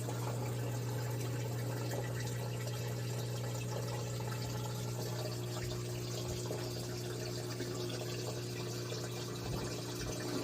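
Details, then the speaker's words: LG washer after replacing the drain pump (the old pump spun freely, with OE error code and a loud cycling noise): steady low hum with water rushing and gurgling, draining normally; normal drain pump operation. "So once I replaced it, I turn on the washer, and actually it works fine."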